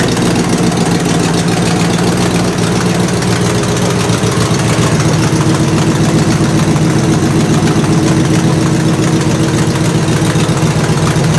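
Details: 1968 Buick LeSabre V8 idling loud and steady after engine repair, previously abandoned with no oil pressure and leaking head gaskets; valve cover off, oil pressure good, head gaskets holding, temperature stable around 190°; light valvetrain chatter, no misfire or knock, healthy.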